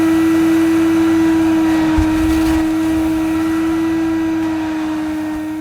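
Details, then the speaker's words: Mid-1990s (c.1994) Hoover Aquajet Electronic S4488 shampooing carpet: steady high-pitched motor whine at even pitch, no rattles or surging; pump and motor working as they should, only drag wand position and solution-tube kink need sorting. "well there you go in theory and i suppose in practice this hoover aquajet electronic does work as it should the pump is fine the motor's fine"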